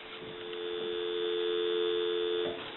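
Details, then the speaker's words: Bell rotary payphone after repair and conversion, final checks before calling a time-and-temperature number: steady, clean two-note dial tone with no crackle or hum; normal dial tone, line healthy. "So we'll go ahead and call that time and temp, and I'll give you some dial tone,"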